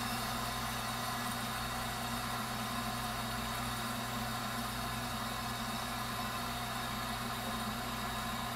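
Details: Viessmann Vitodens 200-W WB2B35 condensing boiler, about 2011, roughly five years in service, no heat load: steady even hum with soft airy whoosh, no knocking or surging; burner firing normally before intermittent non-heating fault with no codes.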